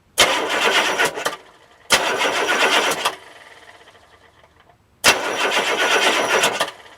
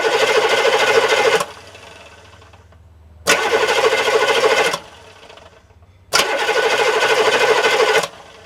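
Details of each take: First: Diesel with glow plugs disconnected and the microphone under the starter: three short, sluggish, lethargic cranking bursts with no firing; slow cranking, owner suspects weak batteries or a starter needing to be opened up. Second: Diesel engine starter recorded with camera right under it: three bursts of fast, even cranking whir, each spinning down cleanly with no grind; normal starter cranking and spin-down.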